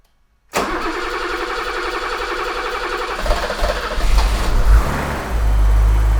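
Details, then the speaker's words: 1982 BMW E24 635 CSI, M30 3.5 L inline six, manual, restoration: after spark confirmed and fuel pump relay reinstalled, silence, then the engine fires first try and settles to steady idle, building slightly with a blip; oil pressure comes up, starts fine. "okay okay it runs yes yes and it ran really smooth until it didn't anymore but until this point it was perfect"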